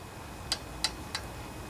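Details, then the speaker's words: Honda GC160/GC190 pressure washer engine turned slowly by hand with the pull rope: sharp light metallic ticks from excessive exhaust valve clearance; after adjustment the ticking stopped, while overfilled oil made it smoke. "well you know doesn't seem like much play there but that's probably the problem so that is the exhaust"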